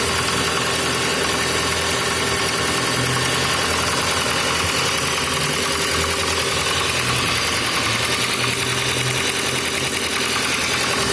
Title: Passat b5 стук двигателя на холодную